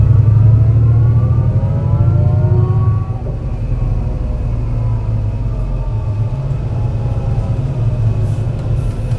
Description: Torrens Transit Morphetville’s 757, a MAN NL202 CNG with a tuneful ZF 5 speed gearbox climbing it’s way along the hilly G21 route to Aberfoyle Hub, a bad misfire in the engine causing the climb to be a dramatic but enthusing one